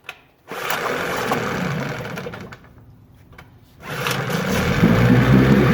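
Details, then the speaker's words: 9.9 HP Johnson two-stroke outboard, fresh carb kit and water pump, choked, in a test tank: fires, stalls, then restarts and settles into a slow, even idle around 800 rpm with a light rattle. Normal idle. "It sounds like we're less than 1,000 RPM there. 800 or so, I guess."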